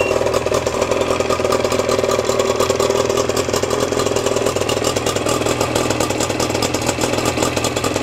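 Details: Outboard boat motor started with choke, run briefly without cooling water and slightly smoky: even, busy clatter at steady idle speed, no misses or surges; normal idle.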